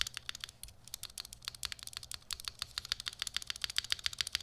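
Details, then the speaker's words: Chimera65 custom keyboard with Durock V1 stabilizers, before fixing: rapid key strikes about three or four a second, each with a thin metallic stabilizer tick and rattle. "Now we're gonna listen to the stabilizer. That's tick and rattle. Tick and rattle."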